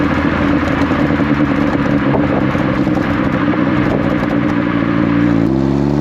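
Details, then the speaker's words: Astra H VXR driving under light load after replacing a holed sports cat with a Cobra exhaust and refitting the pre-cat decat pipe: steady deep exhaust drone, no puffing, rasp or leak ticking; exhaust sounds sealed and healthy. "How's that sound? Pretty good, methinks. So that is the exhaust done, something unexpected, but it was something that needed to be done and has given me the excuse to get my pre-cat decat back on the car, and I do think that makes a really big difference to the sound of it."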